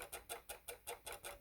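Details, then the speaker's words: Casio CTK-3500 keyboard keys barely pressed: light, crisp plastic clicks about five a second, as each key presses against an internal button. "recently bought a casio ctk 3500 and it has some clicking noises i don't know if yours does but mine is like if i touch this only slightly it does like click"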